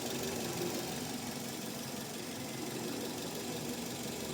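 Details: Car that would not start; the starter was tapped with a tool, suspected stuck carbon brush or solenoid, and it then started. Even, quick idle with a light steady tick and no stumbling. Normal idle after starting.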